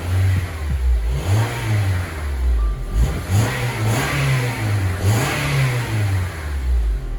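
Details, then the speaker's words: Honda Element with blinking check engine light and misfire heard at cold start, now warmed up: engine revved from idle rises and falls smoothly with no stumble; no misfire present at the moment, cause still undetermined (no EGR fitted). "yeah bro it's not missing right now man that is weird"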